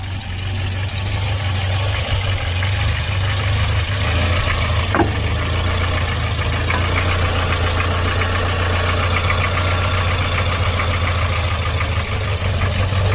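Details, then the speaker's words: Volvo 940 Turbo, warm idle, wandering and stumbling with an uneven lumpy beat; owner first suspects a split vacuum line or bad sensor; hunting found to be from a leaking fuel pressure regulator. "what we could have is either a split line we could have a split vacuum line somewhere so it's allowing air in so it's making it hunt"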